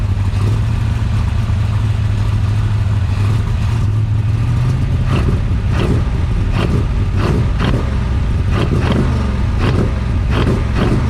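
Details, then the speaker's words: Big-cam big-block Chevy with a rebuilt Holley 750 double pumper: lumpy, deep V8 drone that sags and rises as the throttle is pumped, stalling without throttle though running very rich; idle mixture screws to be checked. Rough idle. "so far what it seems like is that I'm having to keep pumping the accelerator to keep the engine running even though it's running stupid Rich it's almost like it's not getting enough fuel to keep idling on its own"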